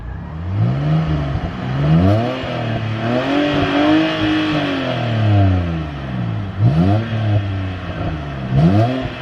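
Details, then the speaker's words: BMW 330i E90 with N52 straight-six, cheap purchase with past extended oil changes (about 20,000 miles) and oil-cap build-up, revved: smooth rising and falling revs, clean even tone, no knocks or rattles; healthy engine revving freely. "um and that is exactly why the n52 is a legendary engine it just sounds so so good"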